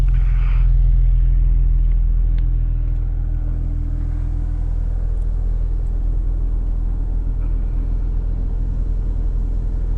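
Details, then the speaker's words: BMW E46 with M54B30 six-cylinder, 179,000 miles, unrun for about a month, warm day, warming up: deep even idle at 700 rpm, no knocks or misses, no smoke, normal idle. "Yeah, 700 RPM tick over. 179,000 miles. Just let it warm up."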